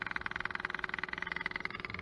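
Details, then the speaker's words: Kubota SVL90, key on, engine off, drained fuel filter not pre-filled: fast even ticking about 17 per second with thin buzz as the electric lift pump refills the filter; normal priming. "It's filling this up because I had that completely drained. I didn't pre-fill that, I just screw back on and let the lift pump fill it back up."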